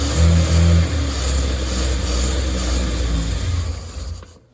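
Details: Datsun 240Z engine, first start after a distributor fault, not fully warm: runs only with throttle blips, pitch rising and sagging, then dies; cold engine won't hold idle, okay once warm.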